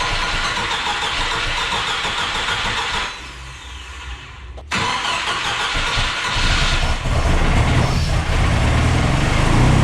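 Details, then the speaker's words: Mercruiser 140 boat engine swapped into an S10, charging at 14 volts: starts and settles, then once warm the revs climb on their own without throttle; warm idle surge, cause not yet found (some fuel pools in intake). "Why is it running like shit though? Like it seems to be when it warms up, it just takes off."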